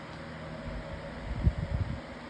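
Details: Lasko 18-inch plastic table fan (2026 version) on high speed with oscillation: a low, steady whir with a soft airy hiss and no scraping or ticking. Normal healthy running.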